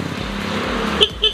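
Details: Suzuki RC100 motorcycle with original switches, engine idling: two short, clear beeps, each a high steady tone, over the engine ticking. The horn works; the starter is weak.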